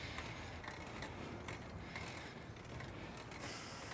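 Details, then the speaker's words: Bicycle being pedalled hard up a hill: dry, rhythmic scraping grind from the chain rubbing against the fender, which needs fixing. "if you hear that grinding it's the sound of my chain rubbing against my Fender I need to fix that"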